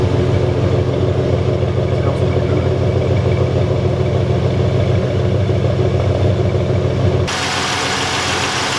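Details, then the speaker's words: Junkyard-rescued 1986 Cutlass with a brand new fuel pump and primed carburetor, fuel line leaking gas; deep steady idle with even beat, no misses or stumbles, running pretty smooth; normal idle. "with that brand new fuel pump Jes running pretty smooth running pretty smooth"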